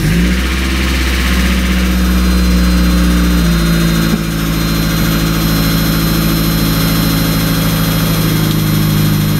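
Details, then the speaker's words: 1994 Mazda Miata, first generation, cold start after winter storage: settles into a steady high idle with a light, quick lifter tick on top that fades after a few seconds, a common first-gen Miata trait. "That lifter noise is like the bane of every first-gen Miata owner. Oh, there it goes, it went away. Usually it goes away after a couple seconds"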